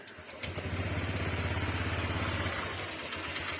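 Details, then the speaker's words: Honda Click 125 FI V3 scooter cold start; it catches and settles into a quick, slightly rough idle with a whirring CVT drive-belt noise that fades once warm; normal for this design cold. "Ayon Okay so Ayos naman mga bro talagang Gan lang talaga yung kanyang design so Hwag natin papansin yung ingay-ingay ni mga bro"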